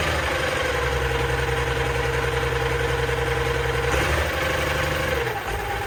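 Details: Allis Chalmers 190XT diesel tractor, just revived, front end off and a hydraulic line spraying oil: fires right up into a steady, even low idle, speed dipping once then holding.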